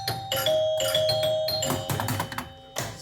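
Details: Sinbad pinball machine after chime repair, coils around 25 ohms and a driver transistor checked for locking on: clear bright bell tones ring in quick succession as points score, each strike clean and sustained. Normal chime operation.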